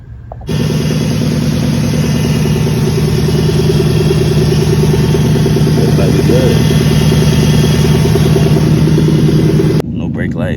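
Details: 2003 Infiniti M45 with over 258k miles, first start after installing a high-output alternator (old one failing, battery and brake lights flashing); smooth, even idle with a steady low drone and no knocks, ticks or misses.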